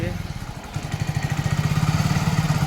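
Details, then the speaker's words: Hero HF Deluxe BS6 motorcycle after self-starter service: small single-cylinder settles into steady, even low thump at idle after a couple of starts, no clatter or misses; normal idle. "यह देख सकते हैं आप एकदम गाड़ी ready है चल गई है"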